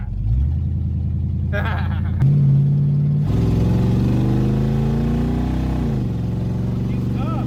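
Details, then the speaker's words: 1969 Buick Wildcat, 430 cu in big-block V8, first drive after sitting 21 years, muffler cut off: deep booming burble swelling and rising in pitch as it revs through the gears, far too loud with no muffler. "it's very loud but it's fine maybe cutting the muffler off was a bad idea but I think it was the right thing to do at the time"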